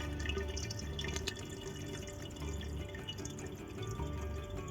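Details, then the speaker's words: Red Sea Reefer Peninsula 500, 32mm plumbing: the stock diaphragm drain valve adjusts in steps and loses accuracy after a year of algae and sponge build-up in the weir box, giving a constant gurgle with irregular drips and splashes; a precision gate valve fixes it. "And while the stock diaphragm valve is fine at first, after a year or so, when algae, sponges and so on have built up in your weir box, many people find the diaphragm isn't accurate enough anymore. And on my tank, that meant I had to put up with this noise."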